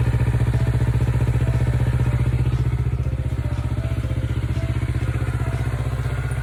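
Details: Kawasaki Ninja 400R twin (400cc, 2013-registered, 7 years old) started after three months unused since December, despite an expected dead battery: steady, even low idle thrum of about three beats a second, smooth throughout; no odd noises.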